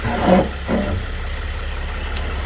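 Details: 2010 Sprinter van shifted between reverse and drive at idle: two heavy single clunks as it rocks back and forth; suspected slack in the rear differential.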